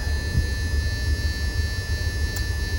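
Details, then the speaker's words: Caterpillar 3126B diesel, 92,000 miles, in a 2000 Holiday Rambler Endeavor RV, idling cold just after oil pump and bearing replacement for low oil pressure. Deep even rumble with no knocks or ticks; owner says nothing to complain about in the sound. "I should make sure that this engine sounds good too. Yeah, it sounds great. There is absolutely nothing to complain about in that sound."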